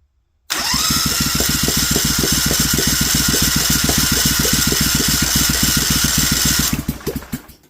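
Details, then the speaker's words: Briggs & Stratton Vanguard 16HP twin with rusted cylinders, cranked with starter fluid and choke: steady starter whir, three to four pulses a second, occasional stronger pops as one side tries to fire; owner suspects poor compression, plans oiling cylinders. "This side over here wants to fire."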